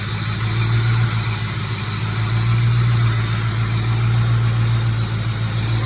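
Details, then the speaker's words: 1996-1998 Mustang GT V8 after Dragon Fire coil pack and wire install, cylinder 4 misfire code P0304 cleared: even, steady burble with low constant hum, no stumbles or skipped beats; smooth normal idle. "The idle is extremely smooth, as you can hear."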